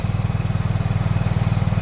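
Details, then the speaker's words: Suzuki Burgman 125 scooter, cold, after belt pulley and belt installation: quick steady single-cylinder putter, idle slightly high and a bit unstable until warm, carburettor still to adjust; no knocking or clatter, runs very well. "Donc voilà, c'est normal que le ralenti il est un peu instable. Mais sinon ça tourne très bien. Il n'y a pas de bruit, il n'y a pas de claquement."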